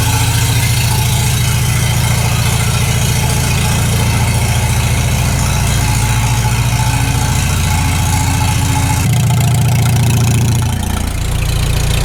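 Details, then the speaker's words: Farmall H tractor after cylinder sleeve repair, test run after sitting, battery low, choke used; deep even chuffing at steady idle, no knock or rattle, runs smooth: normal idle. "That's a little bit better. Well, it runs nice and smooth."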